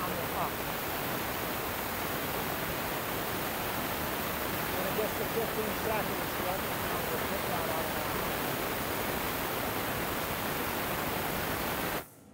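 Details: Omegasonics ultrasonic cleaner running a timed cycle: even, hissing fizz holds steady about twelve seconds then cuts off cleanly, normal cavitation.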